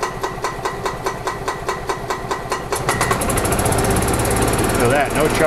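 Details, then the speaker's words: 1999 Club Car DS gas golf cart after a carburetor cleaning for crank-no-start, airbox hoses on, no choke: chugs steadily, then climbs fast to a harsh capped buzz on barely any pedal. Governor cranked to max, hitting the rev limiter. "Okay, so this governor is cranked to the max on this cart. I was hired to get the cart running. That's what I did. I'm gonna tell the customer that I noticed the governor is, the engine's hitting the rev limiter."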